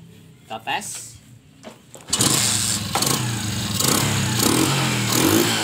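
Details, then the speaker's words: Kawasaki Kaze motorcycle after fitting a DC CDI ignition with a much bigger spark; starts after a couple of tries, then revs cleanly with a crisp, even note and no misfire; throttle feels lighter, normal running. "Setelah pemakaian CDI DC gas-gasnya sangat lebih enteng ya ukiran nanti buat tarikan pasti tidak akan mengecewakan ya teman-teman"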